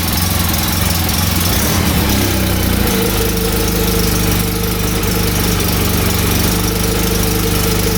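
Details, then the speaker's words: 2014 Polaris RZR 800 UTV after the noise was fixed, drive belt reinstalled; steady idling and revving, smooth even note with no rubbing or scraping; noise gone, normal running. "throttle. Yeah, that noise is gone. All right. Well, we fixed that problem."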